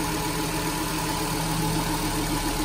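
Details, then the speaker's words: Nissan Grand Livina petrol engine after alternator bearing replacement: smooth, even idle heard with hood open, no rough grinding or rattle; normal idle restored. "Suara mobil normal kembali, tidak ada bunyi kasar-kasar lagi."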